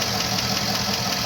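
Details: Cadillac Escalade 6.0 V8 after rebuild: steady light ticking over idle, worse when hot and rising with revs; owner suspects hydraulic lifters or valves, oil pressure rose after oil change, Suprotec additive tried.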